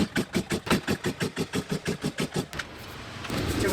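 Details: Stihl MS170 chainsaw with muffler mod and adjustable carburetor being pull-started: rapid rhythmic cranking about three pulls a second, and the engine never catches because the on/off switch was left off.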